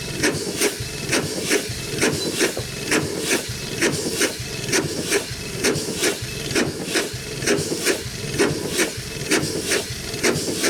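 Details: Century-old Chicago Pneumatic steam engine/air compressor on its first run in decades, compressor head off: steady chuffing about 66 beats a minute with a sharp hiss each stroke as steam leaks from worn packings. It runs well; the rods are unpitted, and the packings need replacing and adjusting.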